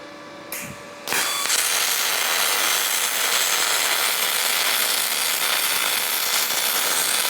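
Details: Firstess (Yeswelder) DP200 dual pulse MIG welder on aluminum, after raising feed roller pressure: after a short start the arc settles into a steady, even hiss with no popping or sputter; smooth weld, running a little hot at the end.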